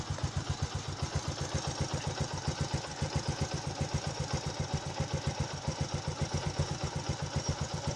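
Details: Motorcycle after the hard-start fix of correct spark plug gap and carburettor air-fuel adjustment: even low thump about four times a second with no stumbles or gaps; a small single idling smoothly.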